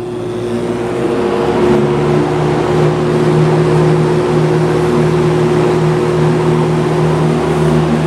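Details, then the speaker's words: Vintage Lakewood S-223 box fan, Westinghouse motor, on high: steady low hum with a higher second tone, unchanging; motor hums noticeably, also an unidentified vibration appeared; cause unknown. "not sure if you can hear the motor humming or not but it's quite noticeable"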